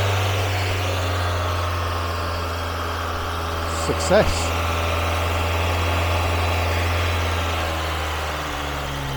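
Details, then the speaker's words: Mazda MX-5 1.8 VVT with new Jenvey ITBs on ME442 ECU base map, first start: catches and settles to steady, even high idle, raised manually as no idle control valve, short blip near four seconds; runs cleanly, no misfire. "i've put the idle speed up a little bit because i haven't got an idle speed control valve at the moment"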